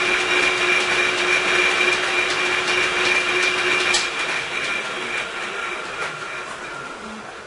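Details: Sibley drill press with new leather flat belt and No. 25 alligator lacing: even whirring run with a light steady tick about three times a second as the laced joint passes. Normal running.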